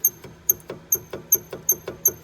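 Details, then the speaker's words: 2005 Land Rover LR3 rear brake caliper, rocked by hand after compressing it with a clamp: sharp high-pitched chirps about twice a second; squeak, owner suspects dry slide pins binding, to be cleaned and lubed. "it is free but it's tweaking so i'm assuming it could be binding up on that if it had lube in there it wouldn't squeak"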